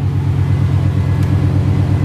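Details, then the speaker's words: Chevrolet/GMC 350/305 V8 truck idling hot after a new distributor cap and rotor: steady low rumble with an even beat and no stumbles or skips. Really smooth, normal idle. "I don't know what it is today but it just got like really really hot smooth man way"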